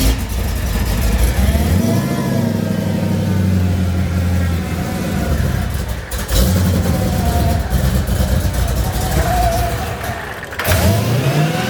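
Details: Mercedes CLK55 AMG with M113K swap, new Hellcat fuel pump, rail primed to about 55–62 psi, cold start; jumpy uneven surging revs, stumble, backfire pop, then recovers; owner suspects it's from sitting, cause unclear.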